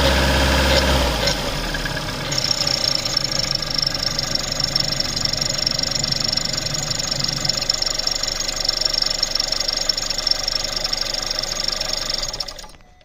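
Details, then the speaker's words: Seat 1.4 TSI petrol engine at idle: steady high squeal over a rattly idle with a faint background knock, from the rear area of the engine; exact source unknown. "Also ich denke, man hört es ganz deutlich. Aber es kommt doch definitiv aus diesem hinteren Bereich jetzt hier."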